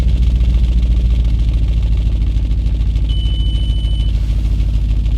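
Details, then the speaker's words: Audi B7 RS4, cold idle with seats folded down: faint even click-clock about three a second under the idle, coming from the rear exhaust vent flaps. "the click clock you're hearing is still from those vent flaps way back in the ex"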